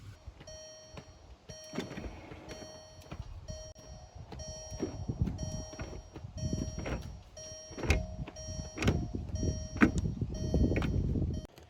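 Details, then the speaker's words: 2003 VW New Beetle 1.8 Turbo, 129,000 miles, active spoiler moved by the manual switch with key in ignition: short bursts of steady electric whir, each ending in a soft clunk as the spoiler stops; motor working normally. "so this has the manual switch for moving the spoiler up and down your key has to be in the ignition for it to actually function"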